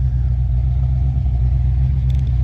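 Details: Engine that starts despite doubts it would run; a possible brake issue is noted. Deep, even, low V8 rumble with a steady beat and no misses or knocks: idling smoothly and healthy.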